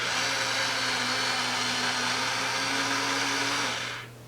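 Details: Flea-market R.A.D. toy robot during a system check, arms opening and closing: a small geared motor whirs at a steady pitch for about four seconds, then stops cleanly. Normal arm gear motor run.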